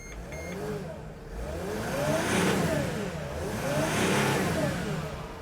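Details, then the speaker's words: 2008 Freightliner Sprinter 3.0 diesel after replacing the crankshaft position sensor (code P0335, crank-no-start): engine now starts and revs up and down in two smooth swells, no knocks or misses; normal revving, fault fixed. "let's give it gas i mean let's accelerate so that's good the engine now runs okay so this is fixed right there"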